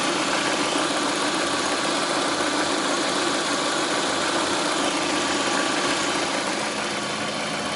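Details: Lada Priora, 21126 petrol engine, idle: dull, not quite even tapping of roughly three a second riding on the engine; knock from inside, cause not pinned down.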